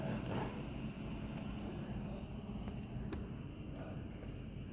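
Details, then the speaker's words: 2024 Suzuki Baleno after replacing worn engine support (mount): quiet, steady low idle with even beat, no shaking or steering vibration as before; normal idle after repair. "wala na. Dati ang lakas ng vibration dito sa harap sa steering. Ngayon wala na."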